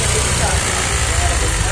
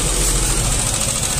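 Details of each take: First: Yamaha Aerox 155 scooter at idle, warmed up, after servicing: low, even putter with soft steady beat, no knocks or rattles; normal idle. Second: Yamaha Aerox 155 scooter idles loud and harsh with a choppy low throb and rasping, gritty top end like a coconut grater; very rough engine that several shops couldn't fix, disassembled to investigate.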